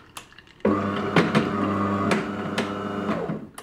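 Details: DeLonghi ECAM coffee machine: gear-motor hum with loud, irregular cracking as brew unit moves; stiff, dirty brew group that jams and won't come out, weak coffee and brown rinse water.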